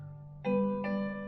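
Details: Google Nest Hub bought faulty on eBay. It now powers on, and clear piano notes play with no crackle, buzz or rattle, so audio playback works properly.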